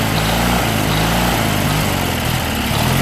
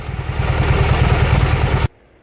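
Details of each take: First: Junkyard Briggs & Stratton opposed twin just reassembled with valves corrected, run on ether with no fuel hooked up, smoking from ether and oil; idle rises and falls in a sub-second cycle instead of settling; governor suspected, unconfirmed. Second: Junkyard Briggs & Stratton opposed twin; steady even low thumping with no misses or knocks, then a clean shutdown; normal healthy running.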